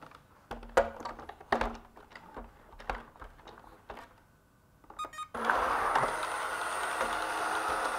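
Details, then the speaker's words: ILIFE V7s Plus robot vacuum after repair of the 4-beeps main-brush error, with new filters and brush: handling clunks and startup chirps, then steady even whir with the main brush spinning normally. "the main brush is spinning if no other bugs show up this has been a successful repair"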